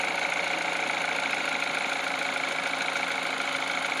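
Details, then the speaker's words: Peugeot 308, cold engine at idle, after greasing the water pump belt tensioner pulley with Litol that caused a cold crackle: light, even hum with no clicking or rattling; normal cold idle. "Я просто немного набил смазку литол синий модуль и трест пропал видите компас не крутится то есть машина холодная сейчас блоки нагреет и подтянется"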